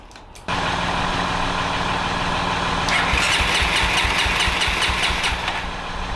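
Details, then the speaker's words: 1989 Honda NX250 after carburetor work, started on choke: revs climb high and surge erratically instead of settling to idle; owner suspects an air leak at a cracked part, replacement pump pending; cause unconfirmed. "Maybe that's the only issue and there's enough air getting in there that it's just causing the engine to rev crazy every time that that cracks a little bit."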